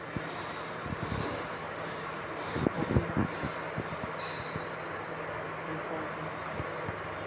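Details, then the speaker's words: Honda City 1.5 i-VTEC petrol engine idling unevenly with irregular knocks and thumps, misfiring with check engine light on and code P2649; traced to a failed rocker arm oil control solenoid. "इसमें check engine light on है और इसमें knocking के knocking का sound भी ए रहा है और ये गाड़ी मिसिंग भी कर रही है"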